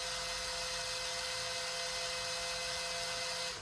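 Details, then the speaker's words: FlowPro remote receiver replacement: after programming the remote, the actuator gear motor gives an even, high-pitched whir for a few seconds and stops cleanly as it rotates to mix; everything works, normal actuator operation. "You can see the light came on. The green light is on inside as well. And the actuator rotated. Go back. Everything seems to work fine."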